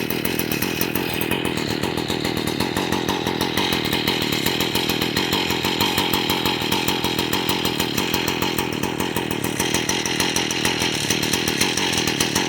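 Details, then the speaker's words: Two-stroke string trimmer started on a hot summer day with too much oil in the fuel mix: high, buzzy drone at steady speed with a slightly uneven edge, smoking until it warms up in about 10 minutes; smoky startup warm-up. "So, when I always fire this up, it always smokes a little bit, and that's because I put way too much oil into the gasoline. So, it always smokes real bad."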